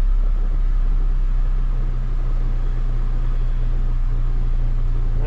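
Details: 2005 Chevrolet Colorado after faulty PCM replacement and passlock relearn, fixing its no-start: steady, even low rumble with no knocks, misses or surging, a smooth settled idle; engine running healthy.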